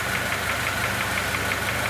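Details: 2006 Honda Element 2.4L, internal engine noise other shops couldn't diagnose, stethoscope loudest in block: sharp regular metallic knock about six per second over idle; engine knock.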